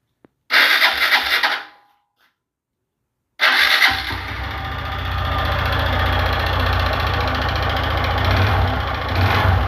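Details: Honda Fan 150 motorcycle engine cranks, stalls, restarts, then idles with a hard, uneven clatter of about four knocks a second; loud internal engine knock, linked to neglected oil changes, cause not confirmed.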